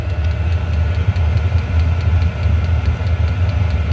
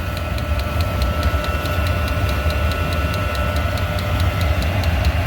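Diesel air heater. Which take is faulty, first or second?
second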